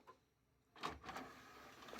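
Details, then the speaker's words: Used desktop PC from a £60 bundle: a brief quiet motor whir with soft clicks and a light clunk as the optical disc drive tray travels. The disc drive works normally. "the disc drive does work."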